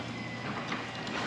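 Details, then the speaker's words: Genie 6172H-0 wall-mount jackshaft opener on a C.H.I 5916 insulated steel door with nylon rollers and 15in radius track. A brief low rattle and shudder as the door starts down, then it settles; a normal start-of-close shudder that the owner says these are designed to do. "It's not very bad on that door, I think because it has like more weight on it coming down. If I were to do this door here, it shakes a little bit. You hear it's not bad, but just something to know that these are designed to do that."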